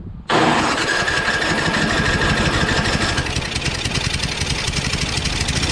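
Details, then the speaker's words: Craftsman 5.5 HP 24-inch two-stage snowblower: catches with a sharp start, then a ragged, weak chuffing run; stalls under load when the auger is engaged, suspected very low compression, not the magneto. "so it stalls after you put some load to it like uh you know engaging the auger so it just won't stay running you know because it's just so weak"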